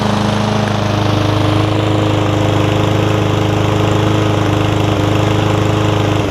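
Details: Yard Man front-wheel-drive self-propelled push mower with Powermore engine, long-sat, carb cleaned except the top jet, fresh gas, oil full but dark: steady, even firing beat at constant speed, no surging or popping, easing off slightly at the end.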